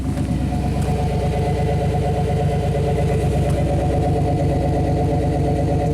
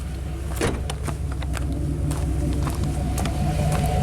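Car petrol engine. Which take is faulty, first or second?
first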